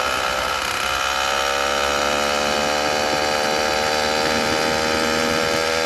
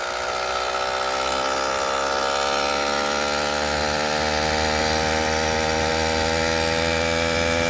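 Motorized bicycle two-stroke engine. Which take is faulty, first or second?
first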